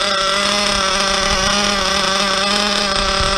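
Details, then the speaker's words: Nitro RC car after the idle screw was turned up about 2/16: steady high-pitched buzz that never drops to a slow idle; high idle, owner may adjust the low-speed needle. "So I'm not even used to hearing my cars idle. So it feels like, it sounds like we have kind of a high idle happening."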